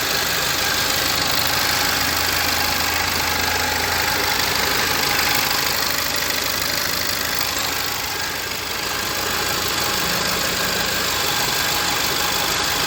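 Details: 2013 VW Fusca TSI after new original VW timing chain kit fitted (tensioner had been on fifth tooth), idling steady and even with light regular valvetrain tick, no knock or rattle; noise had persisted from excessive play in intake cam variator; normal idle.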